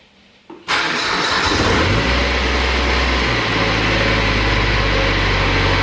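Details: Exmark zero-turn mower with a diesel engine and 60-inch deck, after replacing the fuel solenoid, 15-second glow plug warm-up: short crank, then the diesel catches at once and settles into a steady, even idle with no stumble or misfire.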